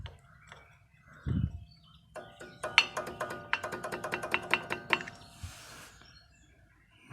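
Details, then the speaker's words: Chevrolet Cruze brake caliper with new guides and new anti-rattle springs still rattling: about a dozen quick light metallic clacks as the caliper is rocked up and down by hand; loose caliper play, cause unclear. "все было сделано и пружины ставил вот таких и вот такую купил вот номер но все равно лязгает"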